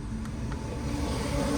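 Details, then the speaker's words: 2014 Hyundai Sonata 2.4L after upper timing chain replacement: short, even idle with smooth low hum, no ticking, rattle or misfire, no check-engine light; normal idle. "but other than that this car is running fine I don't feel any my fire no chickening light our job here is complete"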